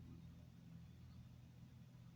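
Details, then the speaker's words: BMW 330d/330xd E46 diesel after fuel filter replacement, ignition on, engine off: faint steady low hum, in-tank fuel pump priming the new filter; normal. "Là, de toute façon on entend la pompe."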